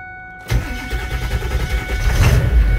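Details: 1999 Ford F250 7.3 Powerstroke diesel on its first start after sitting six months, with recharged batteries. Steady cranking at about three turns per second that never fires. Cranks but won't start.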